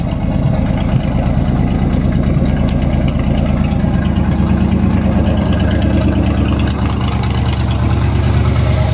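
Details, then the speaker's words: 1958 Chevy Apache after cleaning and gapping the spark plugs, started by jumping the neutral safety switch: steady, even low idle with smooth rumble, no misses or knocks; much better after simple fix. "that sounds much better doesn't it i'm pretty happy with that simple fix"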